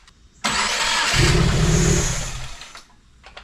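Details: 2016 Subaru WRX (replaced turbo, smoke issue) cranks after a forgotten intake plug was found; brief cranking catches quickly into strong even running without stumble or misfire: healthy start.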